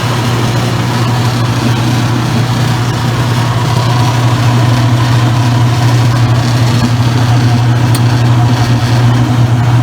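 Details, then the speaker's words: Circa-2003 Maytag Oversized Capacity Plus top-load washer: constant low motor and drive hum, no knocking, grinding or squeal; agitating well. "so as you can see it's agitating really good"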